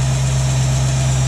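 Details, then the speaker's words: 1967 Ford Mustang with a rebuilt Holley 2300 2-barrel carb, on the choke high idle cam: a steady, even hum at about 1000 rpm with no misses or ticks. A healthy fast idle, later set to 700 rpm on the regular cam. "so my timing light hooked up so i can read my rpms sitting at about a thousand i could probably pump that up a little bit but that that's a pretty good high aisle"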